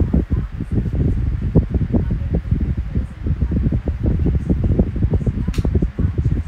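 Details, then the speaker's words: Kool-Flo SFC2-300B 12-inch three-blade high-velocity fan, with bearing oil still breaking in. Low, steady rushing airflow with some flutter and no rattles or squeals; powerful and quiet, running normally. "Yep, I like it a lot. Very powerful and very quiet. It's not obnoxiously loud. It's just right."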